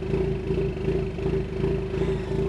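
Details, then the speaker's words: 2020 Ford Mustang EcoBoost HPP, 10-speed auto, MAPerformance Stage 1 short block, Ford Performance camshafts, 12 psi wastegate, ghost cam tune, in park with exhaust valves open: steady rhythmic lope, about three pulses a second, over a deep exhaust drone; idle surprisingly stable. "I got the exhaust valves open that sounds ridiculous that's so stupid Oh my God and actually surprisingly the idle is pretty stable when it's doing it"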